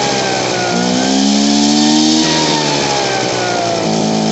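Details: Poulan Pro PR46BT backpack blower two-stroke with old carburetor, before adjustment: note swells then sags and wavers near idle, trying to stall and bogging on throttle instead of revving up; owner plans to turn adjustment screw counterclockwise.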